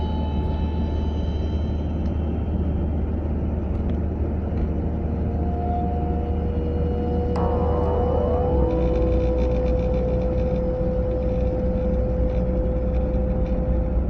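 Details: A 940 driven at about 30 to 40 mph: a thin mid-pitched tone rises over steady road rumble and holds for several seconds, heard from the passenger side; the noise is still unidentified.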